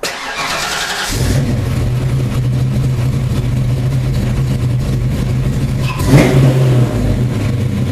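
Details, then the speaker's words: 1992 Ford Mustang LX hatchback with 347 stroker, after fuel pump replacement: it cranks briefly, catches cleanly, settles to a steady even idle, then a quick clean blip; a normal start and rev. "and now what I'm going to do is start the vehicle and make sure that it runs"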